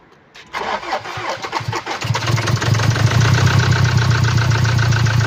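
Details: 2017 Land Rover Discovery TD4 diesel, 1999 cc 110 kW/150 PS, engine code 204DTD, 175,719 km: starts and idles with a sharp, uneven ticking knock over the low rumble, caused by a defective fuel injector.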